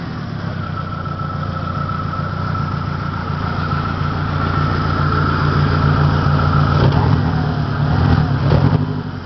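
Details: 1993 Saturn SW2 in park, low on power, no check engine light: lumpy, uneven idle, steady beat stumbling every few seconds under a faint whine; misfire, cause not evident.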